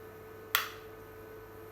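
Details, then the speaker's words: APC UPS checked for F06 error: mains reconnected, two crisp relay clicks about 1.5 s apart over faint hum as it returns to line at 239 V; no F06 error, normal transfer. "ನೋಡಿ, error ಬರಲಿಲ್ಲ. 239 voltage ಇದೆ ಕರೆಂಟ್ದು, ಲೈನಲ್ಲಿ run ಆಗ್ತಾ ಇದೆ."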